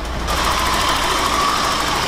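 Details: BMW E30 318i M40 four-cylinder running on three cylinders, before repair: lumpy, tappy idle with an uneven beat, one cylinder missing from the rhythm; spark plugs already replaced elsewhere, dead cylinder traced to a broken rocker arm.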